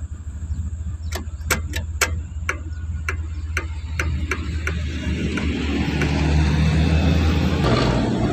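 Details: Suzuki Carry with hard, heavy starting despite a good battery and a serviced starter motor; the rusted ground cable was cleaned and moved next to the starter. Afterwards the starter cranks briskly at about four beats per second, then it catches and runs steadily; normal cranking and start.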